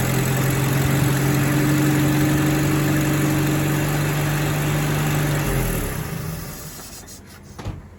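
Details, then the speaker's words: Rover P4 80 idling after the spark plug leads were replaced with rubber-boot cables; the old leads gave shocks and crossfiring. Idle is even with a clean low tone and no misses before shutdown, and number 2 seems good. "number 2 seems good."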